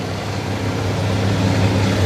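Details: 1979 Ford F-150 4x4 with rebuilt 460 V8, MSD ignition, heard at the tailpipe after sitting a while: deep steady burble at idle, no knocks or misses.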